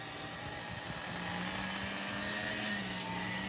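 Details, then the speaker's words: Megatech nitro Razor RC car during restoration, carburettor sealed, first test run: high buzzy small-engine idle with wavering pitch that sags and recovers; barely holds idle, needs a carburettor tune. "I mean, it's keeping the idle to a degree. That's why you need the good old veg and the fruit. Fruit and veg, baby. Fruit and veg. All right, I'm going to basically It needs a tune."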